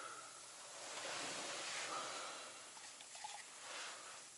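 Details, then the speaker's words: Truck 796 air system: steady soft high hiss swelling and fading slightly outdoors, a second compressed-air leak heard further along after one leaking fitting was found; exact source not confirmed. "so that's one but there's another one up you further I can hear it"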